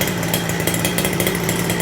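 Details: Small engine on break-in, idling richer than intended in a smoky garage with the fan on: a steady, raspy idle with a gently uneven, burbling beat.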